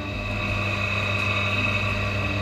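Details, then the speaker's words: National water pump that had a rough noise and no water flow, after repair: steady even hum at constant pitch with no grinding; normal smooth running. "oke udah halus"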